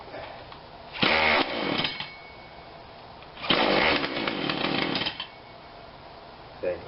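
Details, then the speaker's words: Husqvarna 142 40cc chainsaw, long unrun, first start attempt after spritzing something into it: two short sputtering bursts of revs dying between pulls, won't hold idle, catches only on choke; rough running. "okay not sure what happened there it's a little bit of choke choke pulls that out of the way or what i think it gives a little bit of throttle looks like"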